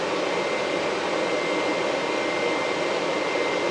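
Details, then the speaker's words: HPEVS AC-50 induction motor driven by a Curtis 1239-8501 144V controller, bench-tested: thin steady high whine over a hiss as the motor spins up, gone once up to speed. Motor runs silent on old 96V controller; source unconfirmed. "Once it gets up to speed, that noise goes away."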